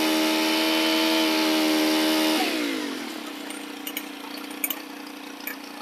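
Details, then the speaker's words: Stihl FS 110 4-mix four-stroke engine after the leaking crank seals were replaced and the cam plate bolts torqued. It holds a clean high buzz, then drops smoothly to a steady idle with no hunting. It runs normally. "all righty guys we got that little mohican going one more time and she runs good"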